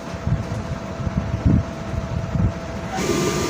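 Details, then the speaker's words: Rewound 2 HP 2-pole 24-slot water pump motor, parallel connection, 220 V, drawing 4 A (rated 8 A on load): steady hum with faint constant tone and handling thumps, no grinding or knocking; normal motor running. "ये हमारा पंप चल रहा है। अब आपको इसके ampere check करवाएंगे। ये देखें दोस्तों, पंप चल गया है।"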